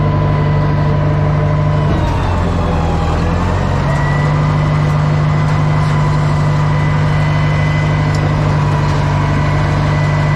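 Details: Old Caterpillar 955L track loader, long unused, after topping up transmission and another reservoir (thought to be the final drive), working: deep, steady diesel drone with a brief dip in pitch, then settles; smooth and healthy.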